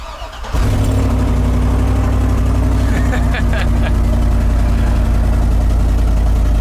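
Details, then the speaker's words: About 2010 Chevy truck with no-crank/no-start, suspected bad ECM or network fault; unprogrammed transponder key code found, now started with the one working key: short crank, immediate catch, steady even idle without stumbling. "one key works three of them don't hey it runs we're done"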